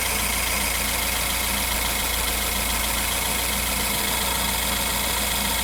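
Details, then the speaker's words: BMW 1 Series N43 engine after DIY bottom-end rebuild for spun bearings, baseline recording taken around the engine: even smooth idle with steady rhythm, no knocking or ticking; bottom end sounds healthy. "I'm also going to record sound at the different locations around the engine and this way I'm going to get good Baseline sound signature"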